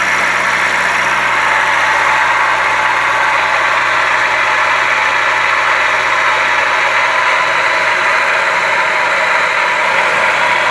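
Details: Toyota Calya idling with a constant rough, hissy whirr in the engine bay above the engine note; the cause was a faulty water pump bearing, fixed by replacing the water pump assembly.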